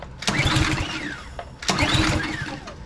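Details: Craftsman 190cc pressure washer that won't start, starting fluid sprayed into carburetor: two short bursts of firing, each dying after about a second once fluid burns off. Fuel delivery fault; carburetor suspected.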